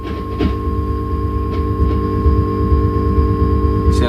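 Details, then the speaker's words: Vox AC30 30th Anniversary Limited Edition amp, brilliant channel: low dull thumping about twice a second under steady hum following vibrato rate; vibrato leakage, two out-of-phase components cancelling with vibe trim at 12 o'clock. "Sounds like a nightclub next door. When we turn our vibe trim up, there is cancellation at 12 o'clock, which implies that there's two parts of leakage out of phase with each other."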